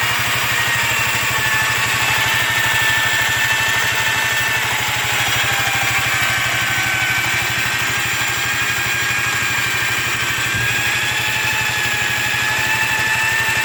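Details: Yamaha Riva 125 XC scooter after a starter clutch replacement, relined rear clutch and buffed bell housing: buzzy idle with a whirring, whistling tone that worsens with throttle. Owner suspects worn variator weights; cause unconfirmed.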